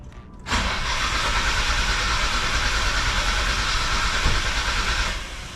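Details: Nissan R33 GTR with RB26 engine, crank no-start while ECU timing values are being adjusted from a laptop: starter whirs steadily for about four and a half seconds with no catch or firing, then stops.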